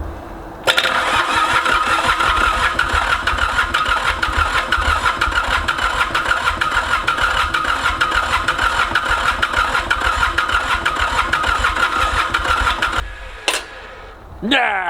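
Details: Ransomes Bobcat mower with a Mitsubishi K3D diesel, first start attempt after 9 years, using starting fluid: steady cranking at about three turns a second with odd firing catches, but it never runs. Head trouble is suspected, not confirmed.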